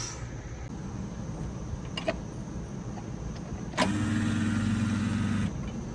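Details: Residential central AC outdoor unit with a not-cooling complaint and abnormal compressor startup sound, after a new capacitor was fitted: a loud hum holds about a second and a half, then cuts out without the compressor starting; the hard start kit is bad.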